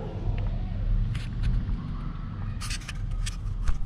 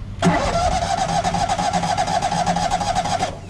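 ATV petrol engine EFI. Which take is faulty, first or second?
second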